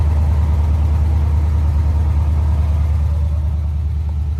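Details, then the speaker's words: 1992 GMC Sierra 3500HD dually restoration truck idling after a new fuel pump, fresh gas and a disabled alarm system; deep, steady rumble with an even beat about two per second, no stumbles: normal idle. "All right. So, we now know it runs under its own power. Just needed a fuel pump and of course, you know, disabling the alarm system that was in it."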